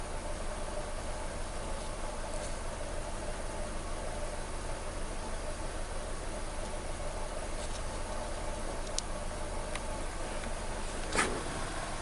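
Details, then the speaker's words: 2014 Nissan Versa 3-cylinder after replacing the No. 3 coil: quiet, smooth, even idle with no stumble and no trouble codes; only a slight vibration remains. "So I said no codes. Vehicle is idling real good."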